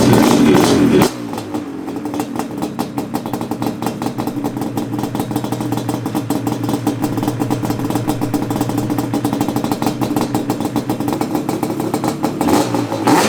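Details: Yamaha Banshee 350cc two-stroke twin on 32:1 premix, reassembled with new radiator and fuel line, starts right up. Crisp bark, revs freely with a fast even crackle: normal healthy running.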